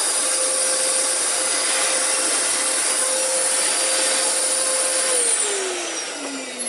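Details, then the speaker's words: Discontinued Dyson DC14, dirty and before service with old filters in: steady high roar with a thin strained whistle sagging in pitch. Judged to have a blockage or clog and a brush clutch mechanism needing replacement. "here two things by listening to this one one there's a blockage or clog and you thank you the clutch"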